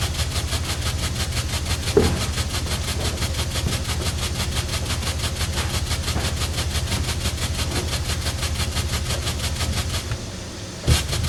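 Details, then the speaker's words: 1913 Jardine & Co pipe organ tremulant after temporary repair, adjusted from bangy to gentler; fast, fairly even pulsing beat roughly three a second, organ tremulant working properly. "It's a bit bangy. There we go. It's a bit more gentle."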